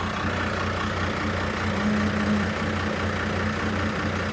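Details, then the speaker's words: First-gen diesel pickup: deep, slow loping clatter idle at roughly 500–600 rpm, dropping near 400 in gear with AC compressor off, almost stalling with AC on; idle speed too low. "I'd say that's probably, yeah, I don't know. Maybe 500 to 600 probably."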